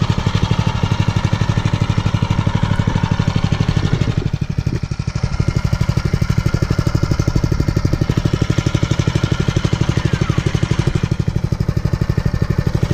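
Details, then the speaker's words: Mega Moto 212cc Mega Max minibike, brand new, first start after assembly with fresh oil and about 9/10 gallon gasoline; idling about 5 minutes on run position after choke warm-up before break-in. Steady, even single-cylinder thump, no misses or knocks; normal warm-up idle. "Alright guys, we've had this thing idling for just about 5 minutes now."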